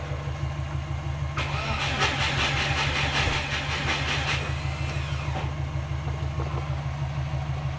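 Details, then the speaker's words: Subaru Forester no-start, plugs wet, cam and crank signals present, charged battery, injectors disabled, voltage dropping: starter labours with slow, uneven compression beats about three a second, only about 175 rpm. Owner suspects a failing starter too slow to trigger ignition. "Alright guys, what I'm thinking is that maybe the starter is done. I don't think it's spinning it fast enough to allow a trigger for the ignition."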